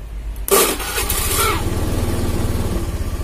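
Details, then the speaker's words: Honda Beat FI scooter, restarted on the electric starter after the battery fault behind its weak fuel pump pressure was dealt with; quick crank, catches at once, steady even thump with clean revs. "Oke, enak ya."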